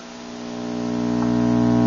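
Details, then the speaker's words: 1960s Sound Project/LectroLab R203 series-filament tube amplifier, volume fully down, tubes warming up after switch-on: a steady low buzz growing louder, believed to be 60-cycle hum; bad filter capacitors are suspected and probably need replacing. "you can hear that it's a hum normal like that it's like this I think that's a 60 cycle hum"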